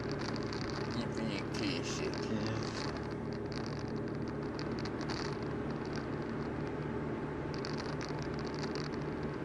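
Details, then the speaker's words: VW Golf 4 with a broken exhaust: uneven, rapid puffing chuff with a hissy edge over a steady engine run; exhaust leak rattle, more prominent on a cold start or cold morning. "you sort of hear it [Applause] rattling me senoras you can hear it there kind of the little back pressure gives it definitely uh more prominent when it's cold cold start cold morning"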